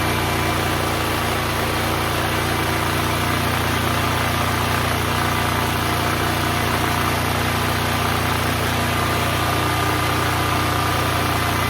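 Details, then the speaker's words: Neglected Duromax XP12000EH Hybrid Elite 12,000 W dual-fuel portable generator, revived and running unloaded: smooth, steady drone at constant speed with no knocks or hunting; 63 Hz; healthy. "Right now it's running at 59, putting out 121 volts. The generator is running good."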